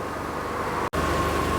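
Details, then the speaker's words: 2001 Audi TT Coupe 225 with BAM engine at its MOT test, after misfiring earlier on the test drive; smooth, even idle with steady hum and no knocks, misses or hunting; healthy idle. "And brilliant at idle as well."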